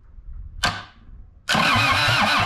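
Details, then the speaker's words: Kubota engine bought cheap, owner worried it was seized, fuel shutoff solenoid removed, Jeep battery hooked up: sharp clack, pause, then steady rapid cranking with even compression pulses; turns over freely, not seized. "i'm thrilled that it cranked and turned over i was worried that it may be seized up um because i got it for so cheap but it cranked turned over just fine"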